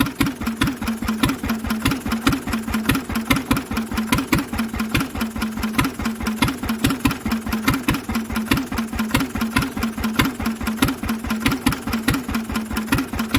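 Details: Old Lister single-cylinder engine, first start in 40 years, running on choke with a temporary cooling tank; slow steady thump about ninety-five a minute, even beats with no big-end knock. Mechanically sound.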